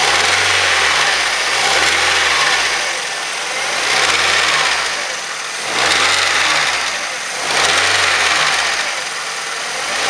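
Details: 2007 Mazda 3 1.6 engine idling and blipped: a rhythmic knock rides over the running and follows engine speed; cause not pinned down.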